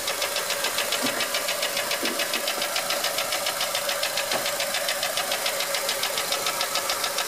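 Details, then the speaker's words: 2004 Honda Element EX AWD, 2.4L i-VTEC, 167,000 miles, no check engine light: sharp regular ticking about 3.5 per second over quiet idle; valves adjusted and timing chain checked by dealer, later found piston slap on cylinder 1. "This Is A 2004 Honda Element with a 2.4 l IV Tech engine and it SS like the valves clicking or something like that"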